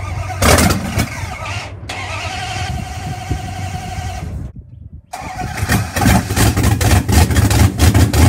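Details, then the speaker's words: Car "Betsy", first start after 3.5 years with a brand new starter, timing as set by shop, before camshaft break-in: starter whirs briefly, then engine catches cleanly and runs with strong, even blips; normal start. "now we know it fires up and works and now we're gonna break in the camshaft hopefully once we do that the car will be good to go"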